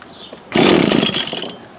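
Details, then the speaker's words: 22-year-old Cub Cadet ST23 26cc two-stroke trimmer, first try on choke: catches about a second with a ragged, uneven buzz, then fades; sluggish, with suspected dirty carb and a failed fuel tank grommet. "It's trying. sluggish."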